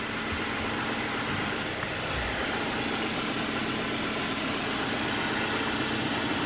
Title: Grinding noise 21 JLUR